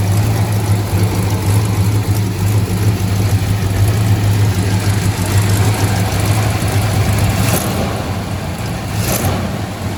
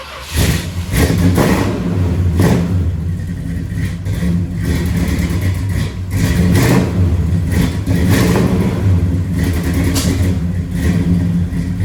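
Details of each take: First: 1968 Dodge Charger barn find V8, first start after pumping out old fuel, adding Seafoam and fresh non-ethanol gas. Deep, steady burble with an even low beat and no knocks or misses: normal idle. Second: 1968 Dodge Charger 383 V8 barn find stored several years in a barn, first start on a little fresh gas with old fuel still in: uneven idle with lumpy irregular pulses and surges before shutdown; rough running, owner blames old gas; water pump leaking.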